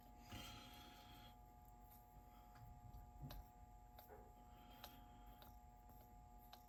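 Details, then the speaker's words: Sony TC-K670 three-motor cassette deck, capstan motor after oiling its bearings during a tape transport rebuild; faint steady even hum with no wobble or scraping, a few handling clicks; the earlier noise is gone. "And put the pulley back. You see, no more noise. Nice and easy."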